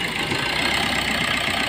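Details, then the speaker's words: Maruti Suzuki Ertiga diesel with starting problem, after replacing the pump with a second-hand unit: even, steady diesel clatter with no misses or hunting; idle smooth and stable, check light gone. "हमने गाड़ी start कि में हमारी गाड़ी start हुई है तो friend ये अभी हमारी गाड़ी चालू है"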